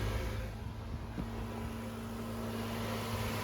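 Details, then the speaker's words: 2014 Nissan Sentra SR, 1.8 L four-cylinder, 109k miles, heard from underneath the car: steady even low idle with no ticking or rattle; only a slight catalytic converter rattle at startup, now gone; healthy idle. "So yeah, I mean, a tiny bit of catalytic converter rattle at a startup, a very small amount. But I don't hear anything now."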